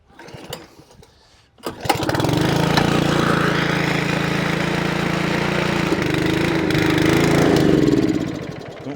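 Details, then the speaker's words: Honda Lawnflight 553 HRS Pro mower, Honda GCV160 engine, unrun for about 1.5 years, cold start on choke after gearbox rebuild: rough chug for about six seconds then cuts out; owner thinks carb wants more fuel. "Okay. Cut out on its own. Let's get another choke. Probably wants a bit of fuel going up in that carb."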